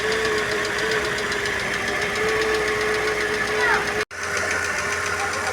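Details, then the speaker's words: Ford Fiesta supercharged, running irregularly with knocking/ticking on top, stumbling uneven idle, consuming lots of water and stalling; head gasket to be replaced, injectors all dripping; misfire consistent with failed head gasket. "estamos com esse Fiesta aqui motor funcionando irregular aí com batidas aí deo na parte de cima e ele funcionando com dificuldade segundo o cliente ele tá consumindo bastante água"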